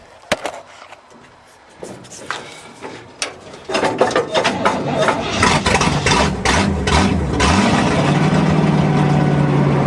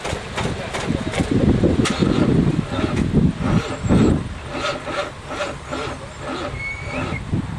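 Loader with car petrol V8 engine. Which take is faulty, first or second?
second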